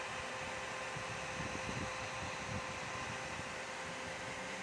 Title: dell optiplex 3020 loud fan noise!!!!!!!!!!! siyasat tv